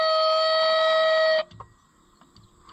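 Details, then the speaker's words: Original horn on a Fiat tractor, powered from the tractor battery: thin, steady reedy tone for about a second and a half, then cutting to near silence; weak horn, owner suspects low battery, not confirmed. "surely my battery's not too low is it that sounds like a dying unicorn"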